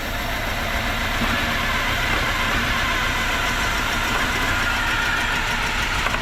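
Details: Mitsubishi L200 after an EFI conversion, first start: a steady, continuous idle with a fairly rough hum and no obvious misfires or knocks. The distributor may be a tooth out or need timing adjustment.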